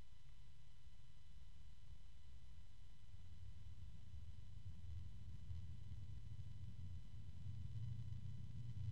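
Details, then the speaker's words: Bitspower Notos O120 PWM DRGB fan at very low speed during noise test: very faint steady low hum, barely any noise, no ticking, rattle or whine; fan turning smoothly and quietly. "oh that started very low barely turned it and at this level there's barely any"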